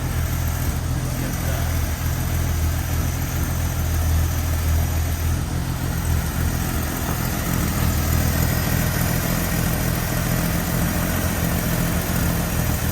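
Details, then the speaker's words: Carbureted AMC Eagle after turning the mixture screws out another half turn each; idle could come down a little more: low, steady, even idle with a soft smooth pulse and no misses or knocks, running sweetly. "That sounds a lot better. Doesn't it? that is purring. So I could probably come out maybe just a tad more on that, and I bet I can get that idle down just a little bit."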